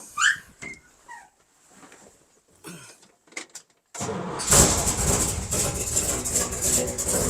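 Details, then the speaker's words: 1957 Chevy wagon barn find, first start after 20 years in storage, recorded in an enclosed garage: the engine catches, then runs loud, ragged and uneven. It likely needs plugs, wires and carb adjustment, but it idles. "Got a little bit of a mist, but I'm sure it needs plugs, wires. It needs some love. Some carb adjustment."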